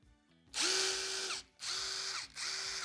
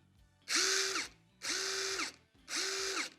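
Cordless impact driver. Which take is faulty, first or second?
first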